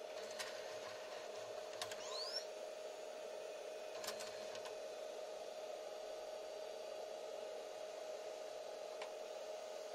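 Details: Sony DHR-1000B DV recorder after repair, loading a DVCAM cassette: a quiet, steady motor hum with a few soft clicks as the tape draws in slowly and evenly; loading mechanism works.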